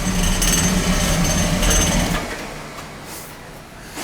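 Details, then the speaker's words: Oil burner running rough, overdue service with overhead oil line: pulsing rumble then flame dies away; fuel starvation suspected from air in the oil pump. "Sounds like it's starving for oil."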